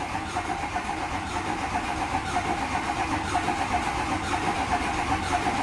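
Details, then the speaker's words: Diesel dually truck starting after glow plugs, with a fresh set of lifters not yet primed with oil: lumpy idle with a loose beat about once a second that evens out once oil pressure comes up. "oh oh we got low pressure ha there it goes you hear it it just evened out yes okay good that is fresh set of lifters too and they've been sitting there for a good long minute in the truck without having any oil pumped up"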